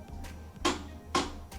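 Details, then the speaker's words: LG WM2455HG front-load washer on start: two sharp clicks half a second apart over a faint hum as the door lock tries but fails to engage, light flashes and dE error code appears. "Start the washer and see what happens. Press play. And you can hear that it's locking or trying to lock the door."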